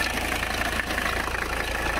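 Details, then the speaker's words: Abandoned 1985 Mercedes 300CD diesel idling cold just after a start with the strainer cleaned: a sharp, even clatter over a low rumble, noisier while cold, otherwise running fine. "yeah a lot noisier when she's cold"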